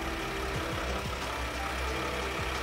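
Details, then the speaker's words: ARB on-board air compressor in a van, controlled by a phone app and pumping both front tires from 35 up to 60 PSI. A constant low electric hum holds a steady pitch, so the compressor is operating normally. "and it's rocking and rolling and again it's pumping up two right now it's pumping up both fronts now"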